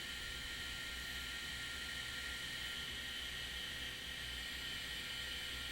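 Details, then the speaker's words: Sony power supply from an SGI O2 in a WeatherSTAR XL, sent in for shutting off one day, bench-tested with a sacrificial drive as load: steady high whir, faint even hum, no clicks, buzzing or cutout; runs normally. "power supply is running"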